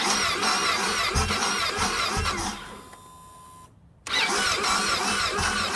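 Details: Motorcycle in grass is hard to start: busy engine noise breaks off into a short near-silent gap and then resumes; cause unknown.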